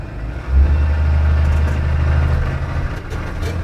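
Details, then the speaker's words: Blue Bird school bus, Allison transmission, after TCM repair and programming: deep steady diesel rumble pulling into drive with no warning buzzer and no dash lights; normal running, later shifts well at 60 mph. "so this looks good so far no buzzing noise no lights on on the dash so now let's go for a test drive"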